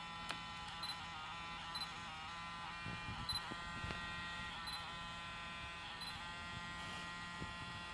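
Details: Zeiss Batis 18mm f/2.8 lens giving a steady electric buzz like a small shaver, with faint ticks, and vibrating abnormally. The same fault occurs on Sony a7R II and a6000 bodies. Lens buzzing and vibration.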